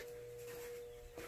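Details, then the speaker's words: Battery charger on a Craftsman LT3000 lawn mower battery, checked the next day: a quiet, steady single-pitch hum with a brief break and handling. Owner suspects the battery is toasted. Charger humming, cause unconfirmed. "I knew it was humming"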